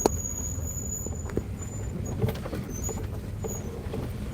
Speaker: And if you hear that squeaking. Yes. Yes. That's my brakes. My brakes squeak. Squeak.